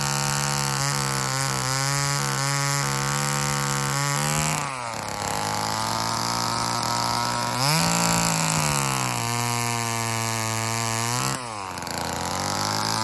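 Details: Old Homelite chainsaw, owner guesses 1960s or 1970s, revived and cutting wood; crisp rev-up, pitch dips as the chain bites and recovers between cuts; healthy two-stroke under load, though the owner says it could be tuned better.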